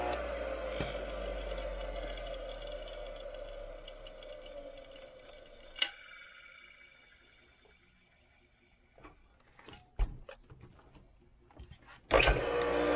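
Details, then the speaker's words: Restored Craftsman 100 50th-anniversary table saw motor, oiled, rewired and cleaned, on its test run: even, steady hum with no rubbing, grinding or bearing growl, then a clean wind-down; it sounds good and the motor runs healthy. "Probably helps if I had that turned off. Sounds good. Looks good."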